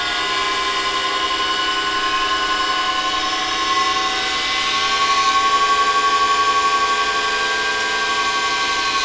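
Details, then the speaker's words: Flood-damaged electric scissor lift (EWP) with 24 V pump, raises and lowers but won't drive forward or backward; steady high whine at one pitch, pump running without working against load; owner suspects a sad pump, maybe steering. "But considering nothing's really going up or it's not going backwards or forwards, you can hear the pump wanting to do things, but it's actually not doing things. So it could be the pump."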